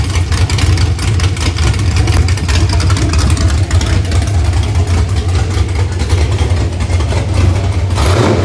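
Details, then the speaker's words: Freshly built 6.0 LS (LQ4 block, Gen 4 flat-top rods/pistons, 243 heads, NK Performance custom cam 220/230, 108 LSA, .595 lift, long-tube headers) for 2006 GMC Yukon, on engine stand: deep lumpy rumble revving freely and smoothly, no knocks or ticks; healthy. "Sounds awesome. This is probably one of the most rev happiest engines that I've put together yet."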